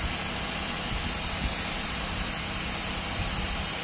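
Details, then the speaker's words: Shark Steam & Scrub mop that wasn't steaming, after disassembly and cleaning of the water pump feeding the heating element: steady steam hiss over low pump hum with slight vibration, though owner thinks too much water comes out; steaming normally again. "got steam coming out got a lot of water too I wonder if I should be more steam than water"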